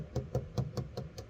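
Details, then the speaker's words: 1967 Mustang body inspection before purchase, fingernail tapping on 25-year-old paint to find filler: even taps all at the same dull pitch, pitch changes only near the edge at the pinch weld; solid panel, no repair underneath. "No change in pitch there, except going down to the edge, which is going to have a change in pitch because of your pinch weld down here."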